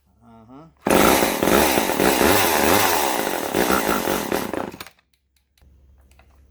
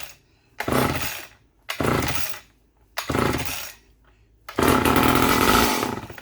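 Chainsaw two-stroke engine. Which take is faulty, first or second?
second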